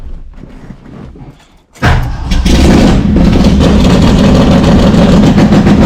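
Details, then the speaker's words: Cold V8 just after start with a Brawler 650 CFM double-pumper carb (mechanical secondaries, recently installed; timing 16° initial, 36° total), idle mixture just turned 1/4 clockwise: loud, fast, lumpy idle that stays high, running rich, likely still burning off fuel from a previous flooding. "but I don't know, it just seems high. And last time I tried to start it, I flooded it, so I'm sure it's still burning off all that old gas. And she's cold."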